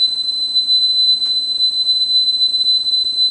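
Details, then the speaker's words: Sony TC-850 reel-to-reel deck after head alignment, speed tuning control at normal position: clean steady 4 kHz test tone holds pitch without wavering, very close to correct speed. "pretty darn close here's our range you can take it down to three point eight kilohertz on the low end for 0.26 and then back to the center position I squirted are close to being right on the money"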